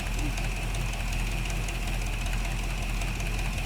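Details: 1975 Chevy C10 V8, first start after brake and steering work while setting timing, oil not yet changed: steady, even idle with smooth low rumble, no knocks or misses, healthy.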